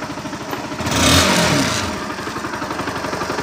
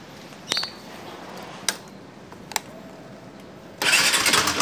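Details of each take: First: Honda NS160 motorcycle engine revving: revs climb and fall back cleanly with an even firing beat and no knock or clatter, sounding healthy; the engine had been noisy from running low on oil. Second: ns160..maingay na makina! ano masisira pag kulang sa langis.. panoorin mo para iwas gastos..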